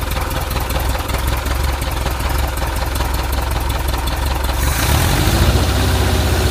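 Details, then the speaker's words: 1.7 L VW Type 4 engine at steady idle: a regular knock of about two to three per second over the engine note; engine knock, source unknown. "Alright, so I'm hearing a knocking sound in this 1.7 liter Volkswagen motor. See if you can figure out what it is."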